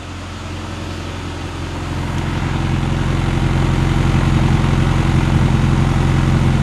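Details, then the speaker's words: 1974 Mini Cooper idling: steady low idle with soft, fairly regular exhaust putt about three or four a second; odd little putt in exhaust note, cause unclear. "I really think it needs a turbo sitting over here the exhaust note kind of has a weird little putt to it"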